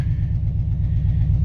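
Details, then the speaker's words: Lifted Subaru Impreza GC8 at idle before repair: deep lumpy idle stumbling every few beats, shaking so hard it shakes the camera; misfire from one cylinder dropping out, loose plug lead and fouled plug, fixed with plugs, wires and an ignition coil. "thing is shaking my arm so bad like the camera's going crazy look at this like that's what it feels like in the pa in the driver's seat like that's probably a better representation of how much this is actually misfiring"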